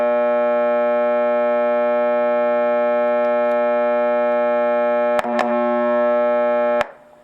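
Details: Macdonald CE-100: steady buzzy mains hum caused by a bad circuit-to-chassis ground connection; replacing capacitors did not remove it.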